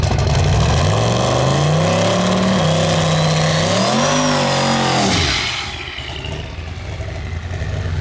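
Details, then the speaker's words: Drag car accelerating hard at the start of an eighth-mile pass: revs climb then stumble and waver as throttle comes on before clearing; engine breaking up under load. "broke up a little bit hear that kind of broke up a little bit yeah when he was first getting on it"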